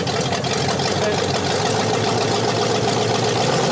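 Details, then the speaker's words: Scrapyard Jeep Cherokee with 360 V8 and Hooker Super Competition headers, first start after sitting: slightly uneven idle with occasional stumble and puffy, exhaust-leak-like beat; slight miss only at idle, smooth when revved. Cause unconfirmed. "It sounds just like an exhaust leak almost. Yeah, it kind of does. When it revs up a little bit, it doesn't sound like it's missing. Only at idle."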